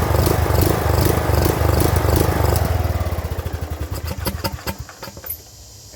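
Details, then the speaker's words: Craftsman LT2000 riding mower that sat unused over a year: the engine runs unevenly, hunting and surging, and at low throttle its firing slows to separate thumps and it dies; likely clogged carburetor. "can hear that it's hunting it's surging and as soon as i try to throttle down to the low throttle setting it just dies which tells me that the carburetor's got some clubs"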